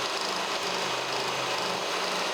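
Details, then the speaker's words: Kearney & Trecker 3H horizontal mill cutting spur gears with dividing head, speed 124, feed 4.5 in/min, cutting oil applied: even, steady cutting hiss with faint low hum, no chatter or squeal; cutting cleanly, like butter. "cutting like butter all right we're through cutting back up"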